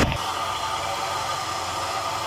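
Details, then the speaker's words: Truck A/C compressor that had a squeak, after spraying WD-40: a brief knock, then a steady hum and airy rush with no squeak or chirp; the noise is gone and the compressor runs normally. "entonces y ya no se escucha nada nada el ruido"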